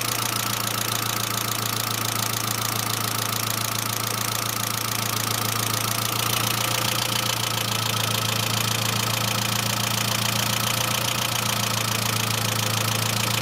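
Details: Saab C900 after engine/head rebuild, steady idle: quick, even light top-end ticking about three or four per second; no oil leaks, pressure lamp off; return line leak apparently ruled out, owner suspects oil pressure relief valve, inspected but not thoroughly cleaned.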